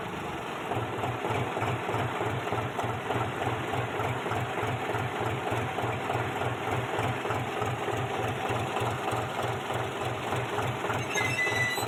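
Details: Old-model John Deere 5103 tractor, checked after a clutch problem was repaired: even diesel idle thumping about three times a second, with no squeal, chirp or rattle from the clutch area. Clutch quiet.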